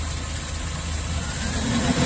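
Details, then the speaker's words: Chevy Express V8 at about 330,000 miles, with number 1 cylinder walls scored, after an in-can ring-freeing treatment: even, low burble with no misses or weird noises, only a slight shake. Normal idle. "not very accurate but 330 000 miles so sounds pretty pretty good"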